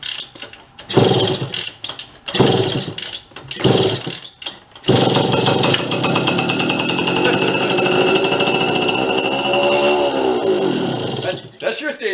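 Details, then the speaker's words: Vintage Bridgestone Chibi mini bike, rough yard-sale find, kick-started with a little fuel dribbled in: a few sputtering bursts, then the small single settles into a steady buzz and dips as throttle drops. It runs. "for a long time too and a little bit of fuel how's that huh all right she will live"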